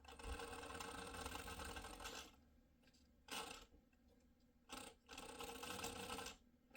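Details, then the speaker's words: Redcat Atlas 6x6 RC crawler held down under load going forward: motor whir in bursts with quick uneven clicking about four per second; owner suspects the gear housings are not shimmed properly, unconfirmed. "see how it's doing that click click click so what I think it's doing let me get it unplugged here what I think it's doing is I think it's not shimm properly um on each one of these housings here"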